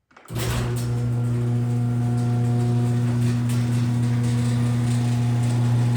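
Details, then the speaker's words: Garage door with the original 2005 AC chain-drive opener after new nylon rollers and fresh lube: steady low AC motor hum with faint irregular chain slapping and carriage travel on the rails; most noise now comes from the old motor. "well as I'm sure you notice most of the noise now comes from the old motor you really hear that AC hum and you kind of hear that chain slapping and you hear kind you hear the carriage kind of coming up and down the rails the door goes up and down"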